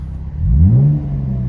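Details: 2012 Chevrolet Camaro RS V6 running with no exhaust system fitted; a short blip rising and falling in pitch, booming, deep and completely unmuffled: loud exhaust note from missing exhaust system.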